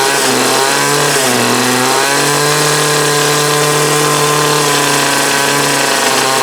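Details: 2008 Troy Bilt TB20CS 31cc two-stroke trimmer with new fuel lines, filter and primer: buzzy note wavers and sags, running rough and only on half choke; owner suspects sediment in the carb.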